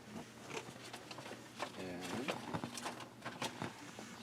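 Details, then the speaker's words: Seeburg HFMA1 amplifier: light taps on the chassis each set off a short ringing tone through the speaker; a tube may be microphonic. "out how we're still ringing nope so it looks like that tube may be microphonic"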